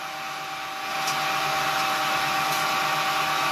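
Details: Homemade propane-tank ball mill, belt-driven motor run off a battery charger drawing about 2 amps: steady even motor whir with faint regular tumbling beneath, no knocking or grinding; running normally.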